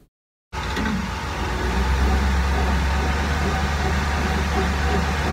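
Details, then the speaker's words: 2008 Dodge Ram 1500 Hemi on jack stands in gear at about 20 then 50–60 mph, steady low droning hum from the rear differential, developed between 125,000 and 146,000 highway miles with light towing; fluid change did not help. "we'll hello folks so I have a 2008 Dodge 1500 Hemi that has developed a little noise in the rear differential I just had the rear differential fluid change to see if it would help but it did not"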